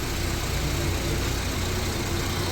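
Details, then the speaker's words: Honda Civic that cranked but wouldn't start after starter replacement; after fitting an original starter: low steady idle with no misses, knocks or rattles; normal smooth idle. "बंद करो फिर चलो start हो गया माशा्लाह जी गाड़ी हो गई okay"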